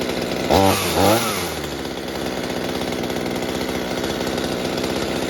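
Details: Small two-stroke mini chainsaw, salvaged and being fixed for a fuel leak, after adjusting the carburettor (high side leaned from too rich): two quick throttle blips, then a steady, even buzzing idle with no hunting, running properly.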